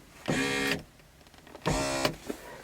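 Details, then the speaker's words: Mercedes 300D W124 door window: two short half-second whirring bursts of the door motor inside the door with no glass movement; window regulator failure. "and instead of window moving you just hear that sound inside but nothing is happening?"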